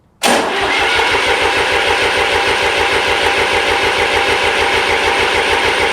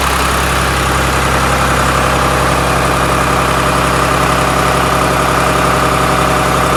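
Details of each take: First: Restored 1993 Lombardini diesel generator, cranking during fuel bleeding: turns over at an even chugging beat for seconds but never catches; no diesel reached the injectors; no start from lack of fuel delivery. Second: 1993 Lombardini diesel generator after restoration: loud, steady diesel clatter with even low drone, settling slightly lower partway; runs smoothly, normal running.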